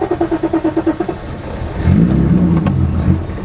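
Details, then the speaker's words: 1984 BMW 5 Series E28, 3.5-litre M30 straight six, sat 5 years: quick uneven puffs then brief rough fire that sags away, only sputtering on starter fluid; won't keep running. "But unfortunately, no matter what we did, all it would do was splutter on starter fluid."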